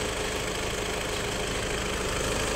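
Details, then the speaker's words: Car with 605,000 km in 9 years, at first start whether cold in the morning or warm: fast, light "takır takır" rattle from the rear over a smooth idle, also heard after a road test; changes with the clutch; cause unconfirmed. "ilk çalıştırdığımızda tane ne kadar bir ses arkadan veriyor arkadaşlar takır takır takır takır mi"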